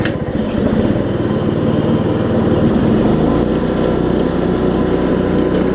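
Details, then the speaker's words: Weed Eater riding mower with a 16.5 hp Briggs single-cylinder engine. It catches at once and settles into a steady, even putter with no misses or knocks. It runs well and drives. "okay we have a good running mower here and it drives"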